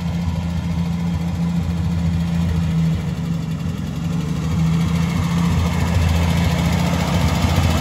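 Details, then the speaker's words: 1970 International Scout petrol engine at idle after a drive: faint fast light tick over low rumble, ticking louder than before; cause unconfirmed. "kind of ticking's louder than i'll get up i don't like that"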